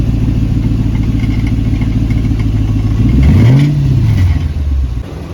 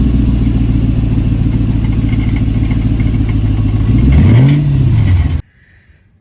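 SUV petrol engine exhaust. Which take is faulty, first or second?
second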